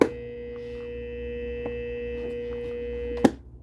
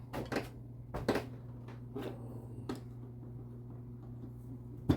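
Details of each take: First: Red Lion shallow well sprinkler pump motor, wired to 115 V for bench testing: steady electric hum about three seconds with no spin-up, motor won't start; owner judges motor shot. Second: Red Lion shallow well sprinkler pump rebuilt from two units: after clicks, steady even hum; normal running, seal may still need replacing.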